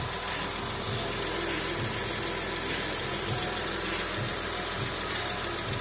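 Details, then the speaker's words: Porsche 996 3.4-litre with automatic gearbox, first start just after the engine was refitted following major work, running up to get hot: smooth, even idle with a steady low pulse under fan hiss, no ticks or knocks; oil pressure present, no engine light. "Okay, Porsche 996, we just finished, first time we just put the engine back in, start it up, we're going to get it run to make it hot."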